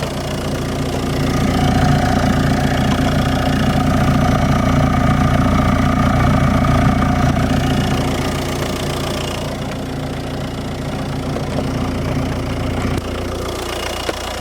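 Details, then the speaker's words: Audi TDI at 85,000 miles (oil pump and injectors replaced earlier) idles with a hard, even metallic knock about twice a second, loudest from the exhaust side; cause unknown. "there's there's this noise I I don't know what it is but it sounds very bad especially from the exhaust side under airport"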